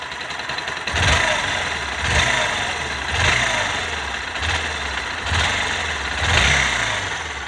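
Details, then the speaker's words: Bajaj NS/RS-series single-cylinder bike after the repair for engine tick-tick noise, heard at idle with light throttle blips: only a faint, even valve tick, much quieter than before; normal idle. "अगर पहले का जो sound है और अभी का जो side है दोनों को प्यार करोगे तो अभी के टाइम पर आपको बहुत ही ज्यादा कम साउंड देखने को मिलेगा"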